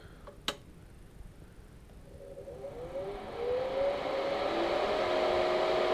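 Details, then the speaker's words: Air Venturi 4500 PSI air compressor, cooling fan only with compressor off: quiet, then a hefty fan spins up to a steady, even whoosh with faint hum, about twice as loud as the Omega's, nothing rubbing; normal cooling fan. "this one's got a pretty hefty fan I would say it's probably twice as loud blows a lot of air through the pool"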